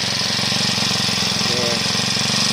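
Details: Four-stroke brush cutter engine after valve clearance adjustment that cured a tight-valve no-compression fault: small single-cylinder ticking over fast and even, steady popping exhaust, no misses or stalling; normal idle.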